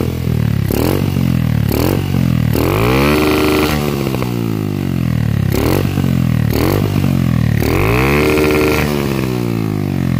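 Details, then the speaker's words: Carbureted Honda CG single-cylinder with a CDI (no-cut/high-cut type) revving cleanly to the limiter and stuttering evenly after swapping an imported carburetor for an original one; it previously misfired at high revs, now cuts normally. "Viu aí, gurizada? Corte dela tá normalzinho."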